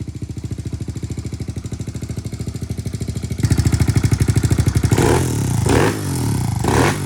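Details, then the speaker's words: Kawasaki KLX110L with TB big bore kit and aftermarket cam, after cam gear timing was fixed: even single-cylinder thump at steady idle with quick, clean throttle blips that pick up and drop back crisply; running healthy. "Sounds good. She's really crisp on the throttle."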